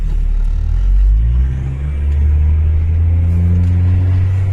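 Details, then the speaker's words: Range Rover P38 diesel on road test after gearbox fluid changed twice and fuel injection pump adjusted; previously needed near-full throttle to pull from a junction. Deep even rumble builds smoothly under load, revving well and quicker: normal acceleration, power loss apparently fixed. "Definitely feels better. 100% better. I mean, the pair it's got at this point already, eh? Yeah. You can just tell. It's revving well. It's definitely quicker."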